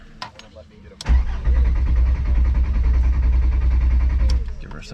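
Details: VR5 Savoy after adding fuel: starter cranks steadily for about three seconds but never catches; owner suspected a dead fuel pump, and the cause was a blown fuel pump fuse.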